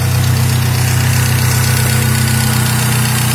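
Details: Parati 1.0 16v turbo after repairs, started cold with idle settling: deep even idle with steady low drone and smooth regular pulses, no misses or knocks; idling properly.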